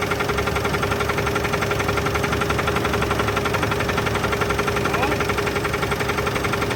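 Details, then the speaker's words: 1983 GMC S15 Jimmy 2.8L, unrun 15+ years with passenger valve cover left off, first start on old gas, no added fuel: regular deep knock about three a second over steady idle, starting to spit; a rod knock is suspected. "got a little something trying guys it's starting to spit I don't know if it's the PB or not but I think that's a definite Rod off"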